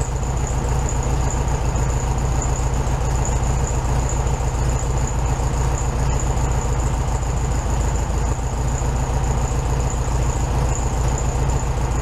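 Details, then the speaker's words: 1967 VW Beetle 1500cc air-cooled, warmed-up idle after carburetor reinstalled with new base gasket on second repair attempt; steady, even, quick regular beat, no misses or hunting; runs clean, idling slightly high. "Alright, so I purposely let that run real time so you guys could see that I did take the time to let it warm up. It's probably idling just a little bit high right now."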